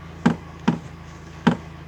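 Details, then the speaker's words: UAZ Patriot with knocks in the steering column when turning the wheel, only to the left, heard as dull knocks over a low engine hum. A torn rubber steering-shaft boot/support between engine bay and cab lets the shaft bang on body metal; fixed by replacing the boot. "небольшой ролик заметка появился стук в колонки рулевой сейчас продемонстрирую слышите"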